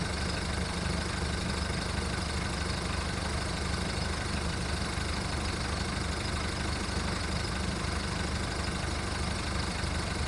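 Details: VW Golf mk1 1.9 TD turbo diesel warming up after first cold start following 5 months storage: loud coarse idle clatter with uneven lumpy beat, no steady rhythm; rough idle.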